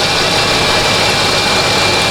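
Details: Lincoln Town Car after replacing the idle air control valve for high idle: constant loud rushing hiss with a steady low undertone, no hunting or surging; settled idle about 800 rpm versus roughly 2000 before.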